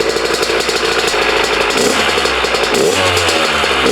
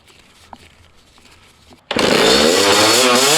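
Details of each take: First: Carburetted dirt bike after fixing a throttle held open and turning the idle screw in: small single-cylinder rattles along at a steady idle, revs climb and drop cleanly on blips; running right. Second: Dirt bike after turning the carburetor idle screw all the way out: the engine fires and holds a high, buzzy rev without dropping back; running rich, carb float suspected.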